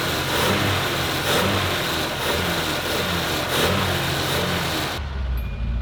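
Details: 1986 Ford F250 Super Cobra Jet V8, just got running: revving up and down unevenly with a ragged, stumbling note, not pulling cleanly; rough running, hoped it will clear up, cause unconfirmed.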